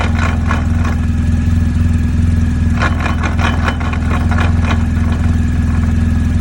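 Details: 2020 BMW R1250 GSA after highway breakdown at 75 mph when coming off the gas: even idle with irregular metallic clatter bursts once in gear; owner suspects the final drive shaft, which the dealer is replacing entirely.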